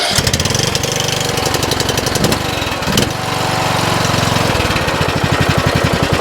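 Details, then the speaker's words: 2007 Craftsman LTS 2000 riding mower after a swap to a used Briggs & Stratton Intek engine with a new HIPA carburetor, cold start, driving on hydro: steady single-cylinder chug, quiet transmission with no whine or grinding. Normal running. "We are moving. Trans sounds nice and quiet though. I don't hear any noise at all."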